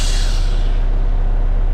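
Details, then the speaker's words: Diesel truck at idle with clutch in: a sharp air burst that fades within a second is the air dryer purging at full pressure, primary and secondary tanks about 112–120, normal. "Air at full. I don't know if you guys can see. Tank 1, primary, secondary tank, about 112, 120. As long as you hear that, good enough."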